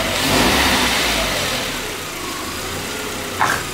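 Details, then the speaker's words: VW Passat B5: revs up, then drops back to a steady even idle with no knocks or rattles; the engine is judged top with nothing to fault: normal revving. "zum top motor läuft wirklich passt rein deutlich daran auszusetzen"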